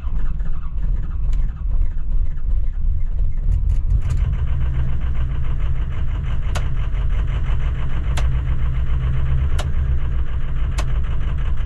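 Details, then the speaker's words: Used diesel pickup truck after fuel filter work, with weak batteries. The idle hunts and stumbles with uneven beats and sharp ticks; the owner suspects it is trying to get fuel back into the fuel system. Rough running. "what the hell is going on out there huh stumbling like that she's probably trying to get fuel back into the into the fuel line fuel system"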